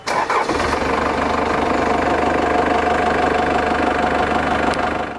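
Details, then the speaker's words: Customer's 1997 Lexus LX450 Land Cruiser with Cummins 4BT diesel swap, Dodge transmission: clattery, tractor-like four-cylinder diesel fires up and settles into steady, even idle; healthy. "So these, the best thing about 4BTs is that they sound like a tractor, which is also the worst part about 4BTs."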